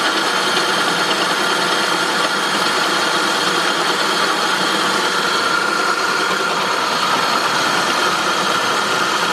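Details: 2003 Saab 9-5 petrol engine at idle with a steady, harsh metallic grinding hiss over the running sound, coming from the engine.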